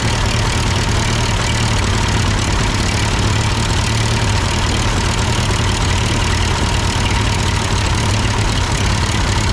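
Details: Ford 8N tractor at idle with no load and the engine hot, just after a carburetor adjustment. It had sputtered uphill, blamed on a cheap Chinese carb; an old Marvel-Schebler ran fine. Steady, even low chug, no misses, surging or knocks: normal idle.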